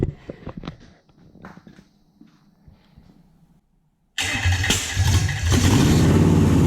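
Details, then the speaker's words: Toyota/Lexus UZ V8 on the Spitronics ECU, very first start in this setup, cold with no radiator yet and the map barely adjusted. Quiet fiddling, then it catches into a lumpy, uneven beat around four pulses a second, misfiring and not on all cylinders; the owner is unsure whether the coils are good. "Well, it runs. Not running fantastically, but I have fired it up on an engine that hasn't been fired up before. I think I'll set up a radiator and then we'll warm it up properly and diagnose why it's not on all cylinders."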